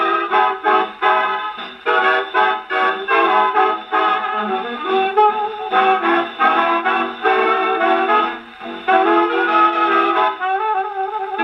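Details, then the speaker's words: HMV 101 gramophone with No.4 reproducer, spring motor cleaned of solidified old grease: record plays at steady pitch with no dragging or sagging throughout; motor holds speed, reproducer sounds clear. "That sounded pretty good. Reproducer's doing well, and the motor powered right through that record."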